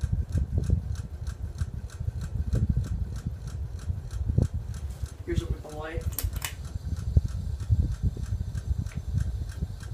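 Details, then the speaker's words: Roughly 10-year-old 42-inch Walmart Aloha Breeze hugger ceiling fan on high: steady airy whir with light regular ticks and a soft thump about once a second; owner suspects the bearings, cause unclear, and it wobbles slightly. "it is pretty noisy and it does click - I don't know what the clicking noise is coming from probably the bearings but it could be wrong"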